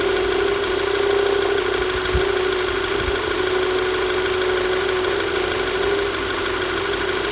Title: VW Tiguan knocking noise